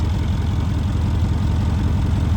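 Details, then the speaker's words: Mercedes CLS63 AMG V8 after engine rebuild, first start with the engine management light still on: a deep, even, steady idle burble with no stumble or skipped beats. The idle is smooth; a coolant leak at the rear flange was found afterwards. "look at the idle that is perfect look at that that's what you call a smooth engine"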